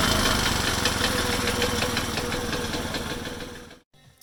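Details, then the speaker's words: Alfa Delta Active single-cylinder engine idling with a loud, steady knock of about three a second, then shutting off. "Хочу вам показати пару причин, чого мотор получається тарабанить, стукає наподобі отакого звуку. якби то клапана там конкретно виставлені великим зазором і такий стукіт конкретний."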